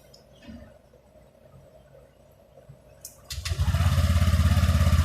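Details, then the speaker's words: Honda Click 125i LED after replacing worn plastic slide parts (three-piece belt-side set): engine fires and runs with an even, steady beat, no kick-start gear rubbing; everything quiet and normal. "ไม่มีเสียงตัวสตาร์ทเท้าไทยละไปลากับเฟืองข้างในนะครับทุกอย่างเงียบเป็นปกตินะครับ"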